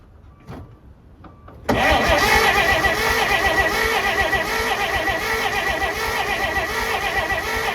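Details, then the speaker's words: 1948 Pontiac Silver Streak straight-six, sitting since the early 1990s: starter spins the engine at a steady, fairly quick beat but it never fires. Owner believes there is no spark because the distributor rotor was left out after reassembly. "I believe what I did was I forgot to put the rotor back in and so cuz now it should have spark pretty much everywhere now I believe I believe that was my issue"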